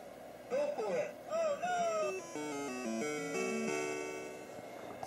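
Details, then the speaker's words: Taito Crazy Climber arcade sound board after reinserting the pin at 5P (earlier no voice, no climbing sound): clean rising and falling tones, climbing noise and voices play clearly without dropouts or distortion; sound board working. "yeah i just put the pin back in 5p [Music] now you hear the climbing noise and the voices"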